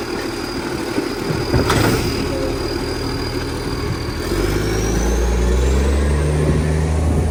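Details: 2013 garbage truck diesel idling, then revving, with loud, raspy chuffing that sharpens as revs rise: a major exhaust leak.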